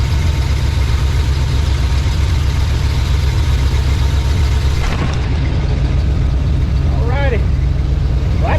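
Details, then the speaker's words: 1987 GMC Suburban just fitted with Evil Energy carburetor replacing Edelbrock, one-chamber Flowmaster mufflers: steady, even low rumble with no misses or stumbles throughout; not smoking or rich; smooth settled idle. "That thing, hey guys, that thing runs better than old Edelbrock. Sounds good, ain't smoking. Don't smell rich."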